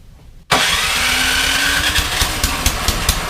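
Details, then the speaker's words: Troy-Bilt Storm 2410 snowblower, brought in for surging and rough running, first start after repair, loosely reassembled, choke and throttle: fires at once, steady busy run without surging or hunting; normal running. "runs great runs great"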